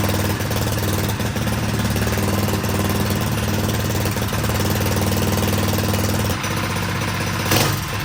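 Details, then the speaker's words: Predator 212cc non-hemi engine built to stage 3 (billet flywheel, billet rod) on a mini quad, first start with choke: fast, steady single-cylinder chatter holding even speed without misses; runs cleanly, later blew up after about an hour. "run sounds good though"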